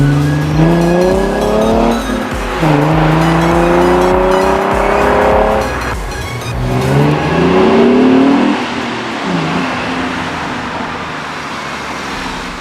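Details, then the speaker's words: Mustang ("Black Beauty") revved, recorded outside the car, after stock cats and resonators were refitted into its homemade dual exhaust; several clean, deep, even revs with no ticking or hissing, no exhaust leaks heard. "I do not hear any exhaust leaks in it whatsoever."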